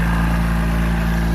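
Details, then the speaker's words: Ex-naval Chinese Suzuki-clone micro van, carbureted, warming up after start, owner thinks fuel mixture may need adjusting: low steady drone with even beat, no misses or rattles; normal idle. "Let it warm up there a little bit. Might have to make some adjustments to the fuel mixture."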